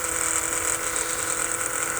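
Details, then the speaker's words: Holley Blue electric fuel pump on a bench test, previously thought dead until disassembled and reassembled, giving a decent flow: steady high-pitched buzzing whine at an even pitch with no stutter, running normally. "can hear the pump running I'm pretty happy about this"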